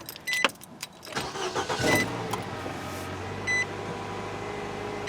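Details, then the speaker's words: 2011 Nissan Sentra after head gasket replacement and valve lapping, run briefly without coolant: a quick crank catches into a steady, even idle with chime beeps over it; normal start and idle. "I'll let you guys hear what it sounds like it is running very very well"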